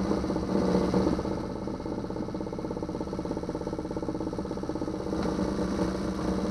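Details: 2009 Yamaha 6 hp four-stroke outboard after no-start troubleshooting and an impeller change: steady even chugging beat, no misses or knocks; cooling water shoots far out the back; running normally.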